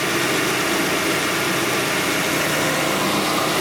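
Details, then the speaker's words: 2009 Hyundai Tucson 2.0 L 4-cylinder with new A/C compressor not commanded on, tested with 12 V at the triple pressure switch: steady idle under an even rushing hiss, no surging or grinding. Compressor kicks on, running normally. "And go ahead, turn it on, Nick. You hear the compressor kick on. See, it's sending 12 volts."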